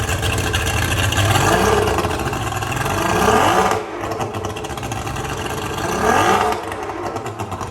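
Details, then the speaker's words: Petrol inboard boat engine, hotwired start with choke, after fix: revs rising and easing back cleanly with no stumbling, RPM gauge no longer dipping as before; healthy, even running. "And that RPM gauge is not dipping around like it was before. Dude, this sounds a lot better."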